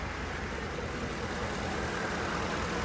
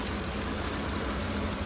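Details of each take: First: 2010 Ford F-150 after repairing damaged MAP sensor wire and clearing misfire and cam timing codes: engine idles with steady even hum, no misfire, no shaking. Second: 2010 Ford F-150 at idle, shaking with check engine light and camshaft position codes for bank one: uneven, stumbling idle with irregular exhaust dips; misfire traced to a damaged MAP sensor wire.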